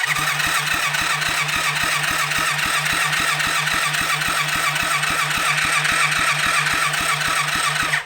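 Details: Rebuilt kids' 110cc quad on electric start: steady cranking about four turns a second, no firing; spark plug found dry, fuel not reaching the carburettor because the new homemade gasket's middle was never cut out.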